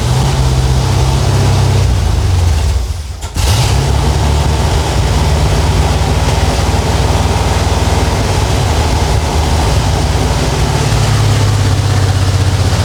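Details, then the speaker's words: 1967 Dodge Charger 383 V8, first start in 15 years after new fuel filter and lines: stumbles briefly, then settles to a heavy, uneven lope that never evens out; vacuum leak from a carb base plate that was too wide. "Uh, I was wrong. I found the vacuum leak."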